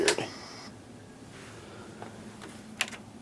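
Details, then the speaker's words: 1986 LXI VCR after belt replacement, commanded to rewind: sharp clack, faint scattered ticks and another click with no steady motor run, not entering rewind; owner suspects a very dirty mode switch. "Come on, I want to rewind. Really do- dirty dirty mode switch."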